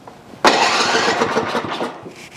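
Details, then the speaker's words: Ariens snow blower with a newly installed electric starter (gears swapped): starter whirs in cleanly and the small engine cranks and catches with no grinding, a normal start. "we're not going to hear any like grinding noises we just want to hear the starter is"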